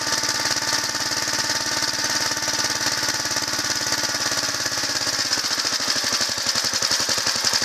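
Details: 1963 Gravely Model LI single-cylinder tractor, finally revived after being picked up free: quick, even firing pulses with a steady buzzy exhaust and no misses or knocks. It runs smooth, with good compression and good spark.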